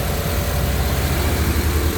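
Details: 2000 Honda Civic VTi, warm engine idling too high: a fast, steady drone that never settles to a slow idle; the owner reports idle drops with A/C and lights on; IACV and ECU being checked.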